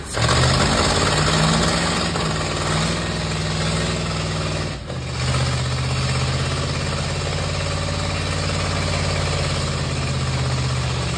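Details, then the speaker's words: 1950 Ford F1 flathead V8 just reinstalled, no exhaust or muffler fitted: steady, even idle with a low, rapid exhaust beat and no misses; healthy normal idle. "Lord, it needs a muffler. Ain't got no exhaust on A it."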